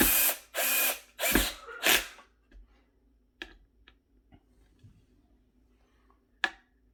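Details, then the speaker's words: Drill driving screws while installing a ClosetMaid closet organizer: four loud buzzing bursts, then sharp ratcheting clicks as the clutch, set to a torque limit, slips so screws aren't stripped; working normally. "By the way, that sound you're hearing is, because I have my drill set with a ratchet. It reaches a certain torque and it just starts ratcheting, and that way I don't kind of run the screws out on it."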